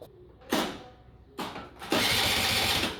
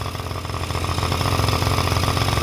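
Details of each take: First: Honda Dio scooter after cylinder and piston cleaning and reassembly, compression present; three short starter bursts with the engine never firing due to no fuel delivery from a failed fuel pump, later fixed with a gravity-feed tank. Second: Small two-stroke Honda Dio scooter, after an internal oil-pump leak was cleaned out and a temporary external gravity-feed fuel tank fitted, settles into a quick, even popping idle with no misses; running cleanly and healthy.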